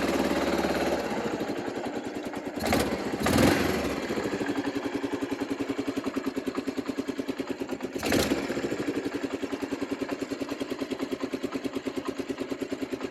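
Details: 1995 Kawasaki Bayou 300 4x4 ATV in neutral with choke on: single cylinder ticking over at steady fast idle with even thump; sounds healthy, fuel possibly low.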